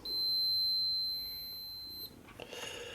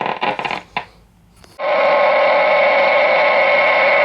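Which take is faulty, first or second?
first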